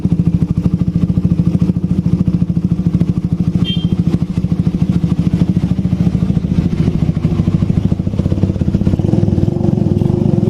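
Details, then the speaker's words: Suzuki Satria FU 150 single-cylinder after valve clearance adjustment, exhaust covered: quick, even idle beat with no ticking or clatter from the top end; engine runs smooth. "Ya, mesin sudah lembut."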